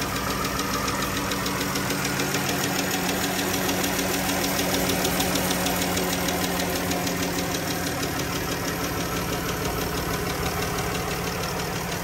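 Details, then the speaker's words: 2014 Dodge Journey AWD 3.6 Pentastar with correct oil level: quick, light, even ticking at about three per second over a steady idle. Worn rocker arms/lifters are suspected in the valve train. "can you guys hear that engine tick"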